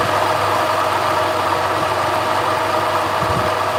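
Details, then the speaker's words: 2009 Subaru Outback 3.0L H6 after A/C compressor clutch replacement: steady idle with a rough, buzzy mid-pitched drone still present; compressor internal failure, damaged wobble plate. "ah that sucks so that means that the internals of the compressor are shot the the Wobble plate inside of it is messed up"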